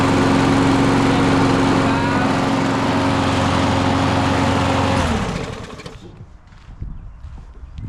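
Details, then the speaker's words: Husqvarna mower after a no-start fix with a new carburetor and new air filter, old gas blamed: steady even buzz for five seconds then winding down at shutoff; running smoothly. "We back running. See how simple that is, people? Don't take much."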